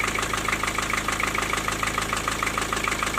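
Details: Four-cylinder diesel at idle: sharp, even knock about three per second, ringing above the engine. It is intermittent and stops after highway driving. It was caused by a loose piston in cylinder four with almost 1 mm of play. The block needs boring.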